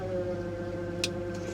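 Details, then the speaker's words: Repossessed Chevrolet Tahoe at Copart, engine running in reverse or drive: a steady low-mid groan holds; cause unknown, transmission pump guessed but doubted, worse than a normal pump whine. "I've heard the pumps on Transmissions whine before but that's like a that's like a death grown"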